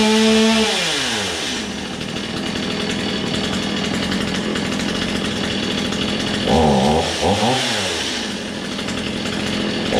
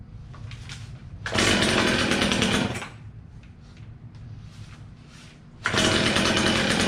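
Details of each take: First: Old, low-hour Stihl chainsaw after its first start: a crisp two-stroke buzz revs up cleanly, settles into a steady run, then revs again with no misses. It is running fine. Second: Old, low-hour Stihl chainsaw, first start with fuel only just reaching the dry carburetor. It fires and revs in loud bursts, drops to a rough uneven idle, then catches again; the hesitation comes from the carburetor still priming.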